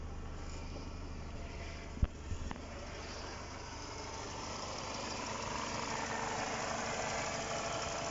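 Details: Light, fast ticking, three or four per second, over a steady idle on a Mercedes W203 with the M111 (111951) engine: hydraulic lifter tick, most often from a clogged oil filter; oil and filter change, else lifter flushing or replacement.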